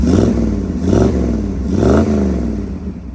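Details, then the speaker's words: 1965 Ford Mustang Fastback with 289 V8 A-code and 4-speed, just after starting: three quick throttle blips from idle, climbing and settling back evenly with no knocks or rattles. Engine is nice and quiet. Normal idle and revving. "Let's fire it up. Car starts right up. The rally pack does work. Code 4M6. Engine's nice and quiet."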